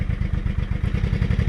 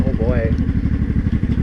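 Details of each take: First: Honda Shadow 500 V-twin started after replacing broken and loose bolts lacking Loctite, choke cable broken: lumpy but even idle thump, no clunk or knock; running healthy, warming up. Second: Honda Shadow 500 V-twin while riding: a fast metallic rattle over the exhaust beat under throttle, stopping off throttle and worsening quickly, after two months of low-rpm knock. Cause found: broken and loose flywheel bolts with no Loctite.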